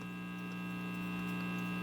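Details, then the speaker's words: RCA 66X1 radio after capacitor replacement, plugged directly into an isolated 125 V supply instead of the variac. Only a constant low hum with a few steady higher tones is heard, with no station or static; the radio receives nothing. "all right that's plugged in go ahead and turn it on no Radio Action at all very weird"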